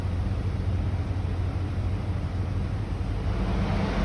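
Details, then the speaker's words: 2015 Lincoln Navigator with code P0480 (radiator fan low speed not working) started with AC on in warm weather: steady, even low whoosh of the fans on low over a smooth idle, no buzzing. Normal low speed; fans then switched to high. "Start it up. AC's on. Fans are on low."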